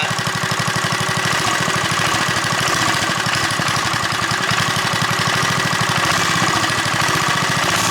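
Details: JCPenney Bird minibike small single-cylinder engine after choke and a slight carburetor screw adjustment: quick, even popping beat at steady idle with some wind noise, holding speed steadily; normal idle.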